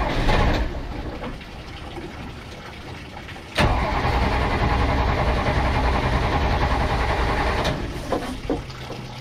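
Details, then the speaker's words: Project boat, port engine at first start-up: starts on the first crank and settles to an even, steady idle with no knock or tap, sounding healthy. The starboard engine is suspected of rod knock or a lifter. "This one sounds pretty good."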